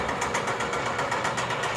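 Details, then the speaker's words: Fully rebuilt DMC 40 Hi-Cap rotary grain cleaner, rewired for single-phase 110 V and set up with corn and soybean screens: a steady motor drone with an even rotary swish about four times a second and no irregular noises; normal running. "Comes right along, there are no irregular noises."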